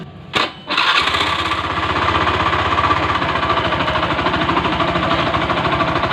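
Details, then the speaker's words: Honda Beat FI scooter brought in for loud noise suspected in the CVT/roller housing: fires up into a harsh, rattly idle with a heavy uneven knock; cause found as a worn, loose crankshaft bearing, giving more vibration at low and high rpm. "berarti sumber masalahnya ada di pagar kruk as-nya Ya udah koplak jadi getarannya semakin besar ya di RPM rendah dan RPM tinggi jatuh jelek ya"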